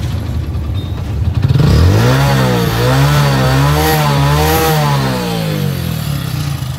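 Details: Hero HF Deluxe single-cylinder motorcycle, about 80,000 km (meter reads 43,000), blipped before an engine rebuild; deep heavy knock rising with revs along with piston clatter; crankshaft bearing knock.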